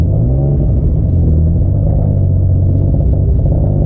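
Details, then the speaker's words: Turbo Probe, first drive around the block after reassembly: deep, lumpy rumble with stumbling uneven beat under light throttle, smoking heavily, losing cylinders and misfiring; still idles okay with plenty of oil pressure. "little bit of smoke. Not right. That doesn't sound good at all. Alright. This is a disaster. Losing cylinders."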